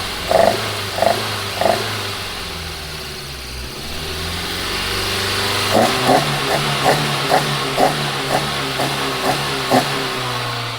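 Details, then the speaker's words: Toyota AE86 on OEM ECU with coil packs, before swap to aftermarket ECU: short uneven revving bursts, stumbling rather than pulling clean; ran better as a three-cylinder, one cylinder apparently dead; cause unconfirmed. "it ran better as a three-cylinder"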